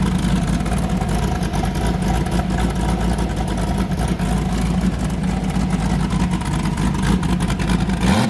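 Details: Boosted car "James Brown" with a new cam, after hitting 23 psi and blowing a coupler off, freshly fired up before warm-up: deep, loping idle with a steady choppy beat, no misses or knocks. Normal lumpy cam idle, engine sounding happy.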